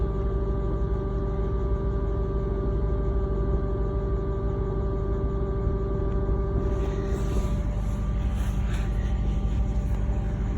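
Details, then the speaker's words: Lexus GSF parked at idle after a seven-mile drive: a steady low hum with a constant loud buzzing from under the rear seats, which is quieter while driving. "but as soon as I stopped in park that sound you can hear very loud so you can listen to how loud is it so loud clearly the noise that the sound is so annoying that it just drives you crazy"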